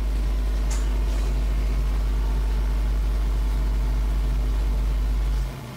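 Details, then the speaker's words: New desktop with ASUS motherboard, audio out through small mixer to Yamaha HS5 studio monitors: constant deep low hum with no rhythm, vanishing when monitors switch off; ground loop hum. "from the mixer it's going to the yamaha monitors and the noise it's terrible and i can tell you i tried everything to get rid of this noise absolutely everything"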